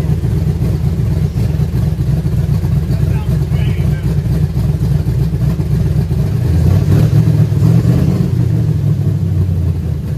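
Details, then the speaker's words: 1966 Chevrolet C10 LS swap, first test fire after reinstalling Craigslist aftermarket cam (previously wouldn't stay running with it), untuned: deep lumpy loping V8 idle, no knocks or ticks, brief squeal at first; sounds and runs better than stock cam. "I can't believe it this is actually a huge diff from that stock cam it sounds way better it seems to be even running better"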